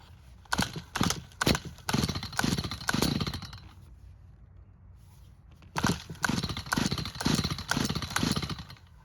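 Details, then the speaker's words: Stihl hedge trimmer stored with old fuel, busted purge bulb; repeated pull-cord bursts about two a second but never fires, fuel-starved at the carburettor without priming. "And as you just saw, without adding fuel to the carb, it didn't even try and start."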